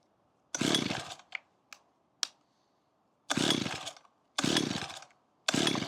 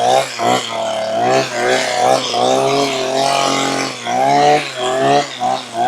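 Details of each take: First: About 15-year-old Makita petrol hedge trimmer after fuel line replacement and priming: five short pull-start rasps at uneven gaps, engine never catches; flooded. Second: Makita petrol hedge trimmer, about 15 years old, after replacing perished fuel lines that let air in (it bogged and cut out when tilted): small two-stroke revs crisply with quick throttle blips, no bogging; repaired.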